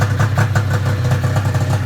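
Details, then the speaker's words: Arctic Cat ZR 440 two-stroke snowmobile, first start after rebuild on straight gas, still cold, tach reading 0: pops along slow and lumpy, barely holding idle, running a bit rough; idle speed set too low, needs turning up. "It's idling too low now. I I got to turn up the idle some more still."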